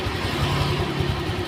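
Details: 2016 Honda Vario fuel-injected scooter, refilled and restarted after reassembly, idles evenly and steadily with a low hum and no knocks. Original complaint was fast radiator coolant loss and an overheat light.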